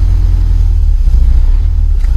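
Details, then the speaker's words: The 853 diesel, cold, on its first start in almost two years. Slow, deep rumble with no rev rise as the idle drops to 400 rpm instead of about 600, with oil pressure around 60–80. The pedal linkage is misadjusted and needs fixing. Idle speed too low. "see it's got the idle set all the way it's going all the way down to 400 so we need to fix"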